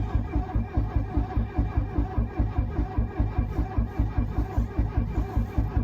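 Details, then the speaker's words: 1982 Mercedes 240D W123 diesel, sat at least 3 years, on a very cold day with no glow plug light: slow even cranking that never catches; glow plug relay or glow plugs suspected, not confirmed. "and it's not helping that it's so cold today I think it might have started even with bad clox if it wasn't so cold"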